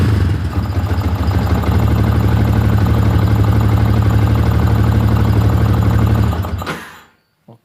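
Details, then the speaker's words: Fuel-injected motorcycle that had been stalling from a BAS sensor error, after jumpering the yellow-green and black-blue wires (1K2 resistor): no fault code, starts, idle is steady and even, and revving is clean with no misfire or rattle; normal. "Oke, stasionernya bagus, digeber pun tetap normal."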